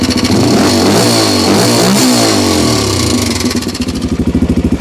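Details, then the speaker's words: 1987 Honda 250X ATV single-cylinder after camshaft and rocker arm installation, cold and long-sitting, running without choke: revs up cleanly and settles, only the normal light even valvetrain tick, no extra chatter; normal running. "But there you go. That's the way she's supposed to sound. Absolutely. So really all I'm hearing is your normal Honda tick"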